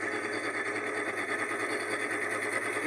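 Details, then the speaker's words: Continental refrigerator freezer: a fast, even buzzing rattle over a steady whir as built-up ice presses and catches the evaporator fan blade. It stops when the door is opened; defrosting is planned. "Tá vendo é o gelo tá forçando e prendendo E aí ela tá fazendo Esse barulho tá encostando a ventoinha entendeu"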